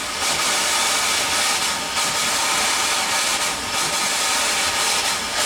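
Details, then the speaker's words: Steam-driven feedwater pump on a boiler above 40 psi: loud steam hiss with slow, uneven pulses about every two seconds; weak, slow pumping, running far less efficiently than it should but still delivering water. "It's not running nearly as efficient as it should. I mean, it don't even run that good, to be honest with you, but that's okay."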